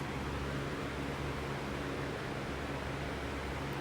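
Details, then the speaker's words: Lasko B20310 box fan with a weaker capacitor, on high speed: a steady, soft rush of air over a faint mains hum with no rattles or ticking. It runs quietly and evenly. "Even on high speed, this one is not that loud. So, at least the weaker capacitor does make it kind of quiet on medium and low."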